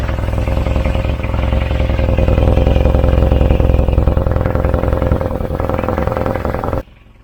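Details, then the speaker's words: Volvo 940 Turbo, hot after a drive, with the loose exhaust now clamped to the car: steady idle with a chuffing puff on every exhaust pulse, about 214 a minute, still blowing at the catalytic converter, which may need a patch. "yeah still a blow but at least the exhaust is fixed to the car now so it's not just going to drop off that's the main thing isn't it maybe we can get a little patch put on that cat"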